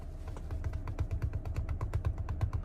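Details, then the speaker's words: 2023 Chrysler Pacifica, front end: rapid even thumping, about seven knocks a second, when turning either direction under acceleration, stopping when straight; loose front axle nut, replicated after repair. "if you have something like that noise something what you can look for is um a loose axle nut"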